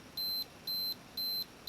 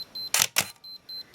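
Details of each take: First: Minolta X-700 with 50mm f/1.7 lens, self-timer run with the beep function on: a high, clean beep pulses about twice a second, then speeds into rapid chirps and a steady tone before the shutter fires; timer works normally. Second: Minolta X-700 with 50mm f/1.7 lens: short high beeps near four kilohertz about every quarter second between shutter clacks, the meter's low-light warning that there is not enough light; low-light warning beep.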